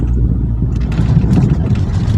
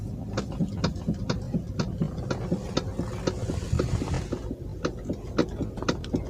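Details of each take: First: Toyota Alphard on simulated rough road after steering clunk repair: steady low road rumble with no knocks or clunks from the steering, problem resolved. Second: Toyota Alphard stationary, steering turned left and right: sharp clicks and clunks about twice a second; also clunks over rough roads, a common Alphard steering fault.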